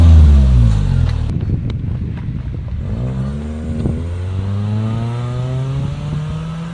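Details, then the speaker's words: 2005 Honda Civic with a new budget eBay muffler on stock exhaust via adapters and flex pipe, test ride: deep note rising and falling smoothly, no rasp or rattle, clean sound; normal exhaust. "it sounds good there's no rasp there's no rattle no reap op has just got a nice clean sound"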